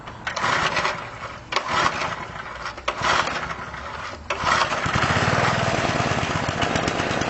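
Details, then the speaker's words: Small engine after carburetor overhaul, started on choke: a few pull-start bursts, then it catches and holds a steady, even buzz with no misses, running normally. "And there you go, you can see it runs just like a top, just like it's supposed to."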